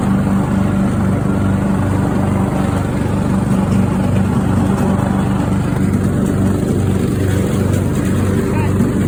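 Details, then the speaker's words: Craftsman riding mower engine that fired but would not run, after a new fuel shutoff solenoid, fuel filter, spark plug and fuel treatment (owner suspected water in the fuel): small single holds a steady, even low drone, no misses or surging; runs smoothly. "oh listen to that engine per that sounds really nice"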